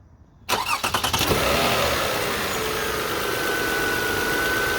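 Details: Car started after alternator belt replacement, belt tracking straight: short cranking burst catches quickly, then smooth even idle with no belt squeal; healthy start.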